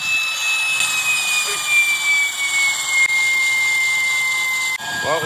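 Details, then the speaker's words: Brass wheel spun by 60,000 PSI waterjet on bushings instead of failed ceramic bearings: thin high whine sagging in pitch as wheel slows, then cutting off; deeply scored bushings generating friction squeal. "Oh, that's what happened to the bushing. No wonder it generated so much friction and started making that noise."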